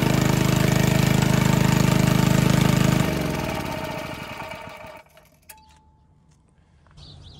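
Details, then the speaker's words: 1951 Briggs & Stratton 6B-SF, 1.75 hp, rated 3600 rpm, cold start at about 30°F after governor spring moved one hole, dropping at least 500 rpm: steady even putter for three seconds, then shut off and coasting down; runs smoothly at lower governed speed. "governor adjustment definitely did the trick didn't it it really slowed the rpms down so just by moving the governor spring from this hole to this hole we dropped at least 500 rpms"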